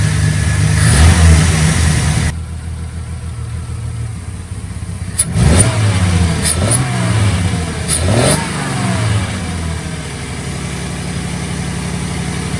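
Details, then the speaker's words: 1990 Jeep Comanche Eliminator that had been misfiring as if down a cylinder, after testing and parts replacement: idle still sits too low with a slightly uneven beat between throttle blips, but it runs much better than before. Low, rough idle. "well we'll give this a shot still idle's too low but it's running a heck of a lot better"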